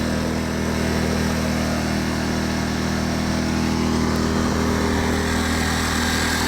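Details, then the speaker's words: Champion 2500 W dual-fuel inverter generator, brand new, first start on propane, eco mode switched back on: even, steady idle hum with smooth regular beat, no misses or knocks; sounds pretty good, normal idle. "There's eco mode on. Sounds pretty good. Start right up."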